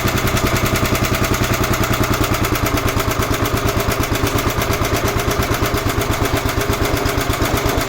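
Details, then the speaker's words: 11 hp Honda engine on an Emglo air compressor, after a carburetor and air cleaner box replacement. Steady, even thump with no misfires or hunting while pumping up the two long tanks under compressor load: running properly. "Let's try that again. That's how long it takes to get the air pumped up on that. There's two long tanks underneath."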